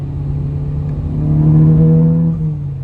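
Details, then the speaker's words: Volkswagen with a misfire, shown while replacing a confirmed bad coil pack on a Jeep Wrangler: engine revs and settles with a rough, lumpy, machine-gun-like stumble typical of a cylinder dropping out. "I'm gonna show you guys the misfire and the Volkswagen hopefully pick that up it sounds like a damn machine gun"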